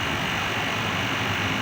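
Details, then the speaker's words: Fried ice cream machine compressor starting right after the wrongly connected normally-closed solenoid valve was reconnected; before, the motor ran but would not freeze. Steady hum with fan rush, no knocks or cycling, with amperage and pressure monitored; running normally. "we are going to turn on the equipment now we connect we turn on the start button we go back Now we see the two consumption in amperage and pressure consumption turned on the equipment look instantly we already have"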